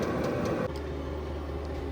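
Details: VEVOR 8kW all-in-one diesel heater after about half an hour of running, discharging around 245–250° into the room. Steady low drone with an even hum and no knocks, misses or speed changes. Settled and running normally.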